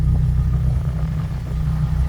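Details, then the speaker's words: 2005 Chevy Colorado 4x4, 257,000 miles, heard from underneath on the driver's side: steady deep idle rumble, no knock or tick, exhaust noticeably louder than normal, possibly a leak. "all right we're on the driver's side and you can hear the exhaust is a little bit"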